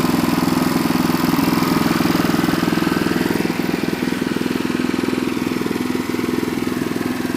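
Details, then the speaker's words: Renovated Troy-Bilt Horse tiller small engine, throttle moved up to fast: crisp, rapid, evenly spaced firing beat held steady with no misses or rattles, running healthy. "we can uh there's our control put her up into fast here there fast [Music] and there she goes"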